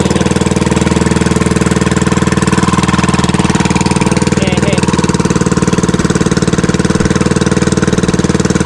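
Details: Fishing boat (bangka) engine after fixing a misfire and securing the shaft: fast even beat about four per second, no misfires or knocks; running smoothly and healthy.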